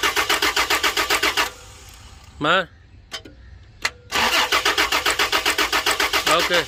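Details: Toyota Land Cruiser crank-no-start, fuel pump being tested: starter churns at about four turns per second, stops, cranks again, never fires; cranks but won't start, cause suspected, not confirmed.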